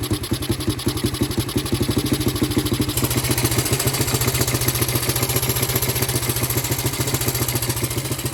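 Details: Honda CT125 single-cylinder engine, previously seized and never run, oil filthy: fast-idle thumping, loose and slightly uneven with a busy top end; it runs but is missing its second compression ring.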